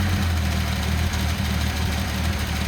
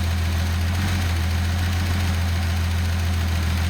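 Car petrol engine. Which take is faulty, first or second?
first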